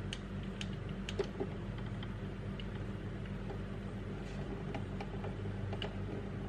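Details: Traxxas TRX4 crawler with a D1RC x Hobbywing Fusion Thor 1800KV brushless motor at a very slow crawl: no motor whine, unlike the humming brushed motor, only soft gear and drivetrain ticks over a low rumble; normal, healthy low-speed running.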